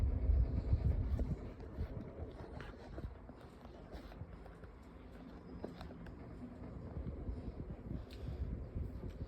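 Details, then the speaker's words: 1998 Boston 16-inch pedestal fan, heavily used for years, stiff oscillation, on medium: uneven low rumble and rattle, easing off as the fan loses speed; noisy motor slowing down, cause not confirmed. "And there it goes, slowing down. That motor does not sound good whatsoever."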